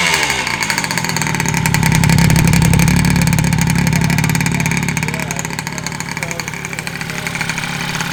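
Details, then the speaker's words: Freshly finished Honda Elite 120cc stroker two-stroke scooter engine at first start, with brakes not yet set up. A crisp buzz climbs smoothly with each throttle blip and settles to a steady idle, so it runs cleanly. "but everything else, bro, she starts, she runs. Motor's finished."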